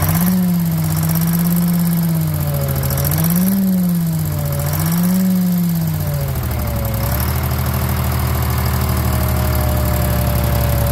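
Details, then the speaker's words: Drott excavator's Detroit diesel, revived after sitting 15 years. A strong, even drone climbs and falls smoothly with throttle blips, then holds a steady idle, running like a sewing machine. Normal running and revving. "so the Detroit's run I'm gonna play a little clip of it running man this amount talking about it singing like a sewing machine"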